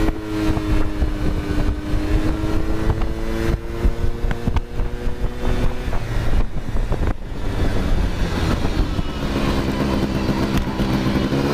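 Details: Honda Cub EZ90 two-stroke, a museum bike on display for years and barely ridden, now on a substitute battery, started right up. Its buzz climbs and settles cleanly as it pulls away under wind noise, revving smoothly without misses. Normal running.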